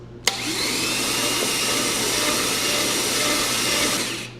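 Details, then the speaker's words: 1969 Chevy 327 V8, cranked with the plugs out to test a newly bought starter: fast, even starter whir spins the engine freely for about four seconds with no grinding or clunks; the starter is healthy. "All right. Cool. Turns over good. Sounds okay to me."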